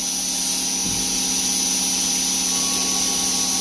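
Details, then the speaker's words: Knife-making belt grinder just fitted with a fresh, sharp belt. An even, steady hiss over a slight hum, with no chatter or thumping; normal grinding. "Ooh, now look at the sound. That is a fresh fucking belt. It goes like a meat saw."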